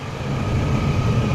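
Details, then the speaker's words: Chevrolet S10 Xtreme with newly installed 4.3 V6, hood open after its first drive: steady, even low rumble with no knocks, ticks or misses; healthy normal idle. "pop the hood here sounds good nice and nice and smooth"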